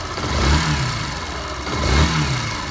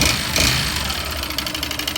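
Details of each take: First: Yamaha Fazer 150 after an engine teardown for a noise, first start while still cold and warming up: revved in short even blips with a crisp rise and fall and no knocks or rattles. Quiet, healthy engine. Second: Yamaha Fazer (Phaser) 150 single-cylinder: quick regular metallic tapping, roughly ten per second, over a rough idle; teardown found a seized, badly scored piston skirt causing piston slap.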